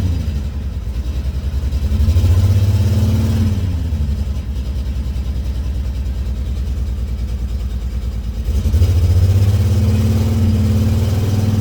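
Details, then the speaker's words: $300 auction car with a new valve cover and apparently original coils. Engine idles unevenly and lumpy between two short revs; owner says it sounds a little rough, like an exhaust issue. Rough running, cause unconfirmed. "Sounds a little rough. Sound like some exhaust. Sound like some exhaust."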